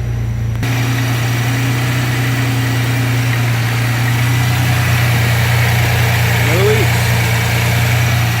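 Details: 1992 Chevrolet S10, 2.8 V6, five-speed, two-wheel drive, during coolant temp switch replacement (gauge erratic; oil gauge swings 40–80 psi): steady even idle with loud whooshing fan roar, no knocks or misses, normal.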